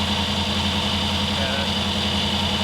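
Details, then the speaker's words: Kip's Willys Wagon with no coolant, run briefly after removing the power steering: a busy, slightly unsteady idle with a hiss and small rhythm dips. Owner says it needs enrichment fuel; a vacuum leak is suspected; cause unconfirmed. "We can't run it for too long. We don't have any water in it, but it sounds happier. We gotta give us some fuel. We need some enrichment fuel."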